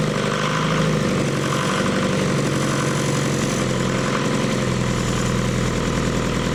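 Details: Leyland 154 tractor diesel, first start after fitting glow plugs, new starter and setting pump timing; steady even clatter at about 1,200 rpm fast idle, great oil pressure, no knocks, though the diesel pump still leaks: normal idle.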